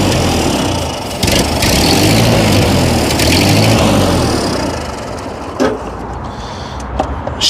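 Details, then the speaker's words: Ford 8N tractor, 6V, sitting about 8 years in storage, first start: four-cylinder chugs unevenly with lumpy stumbling and pops, seemingly firing on two or three cylinders; oil pressure 20-25 psi. "it's running I only think it's running on like two or three cylinders"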